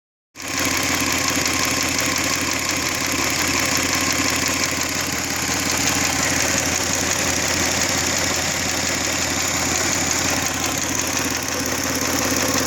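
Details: G6EA engine at steady idle with a light, fairly quick knock tapping about three times a second; the cause of the knock is not yet identified.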